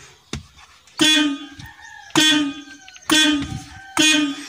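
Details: Suzuki multicab horn after repair, with an extra push button wired in: four short, clear blasts about a second apart, each a steady bright tone with a clean cutoff. The horn works properly.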